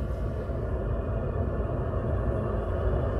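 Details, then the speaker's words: Range Rover Sport L494 fuel-burning park heater (Webasto T90/T91) started by remote: steady low even exhaust rumble from under the car, no pops or surging; heater running normally. "so there we go that's the park heat working"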